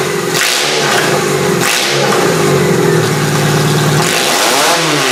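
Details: Toyota engine on a demolition derby car, started with QuickStart spray after spark returned: loud, rough, ragged revving that surges and sags; not firing on all cylinders, owner suspects some plugs are junk.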